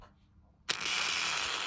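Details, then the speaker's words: Ambition Ninja Pro tattoo machine, which crackled after two days of use, as did its replacement motor section. After a quiet moment it starts with a dry, rattling crackle in any position, and one pusher is not moving; the motor is loose in its mount. "есть вот то есть схема на так трещит в любом положении"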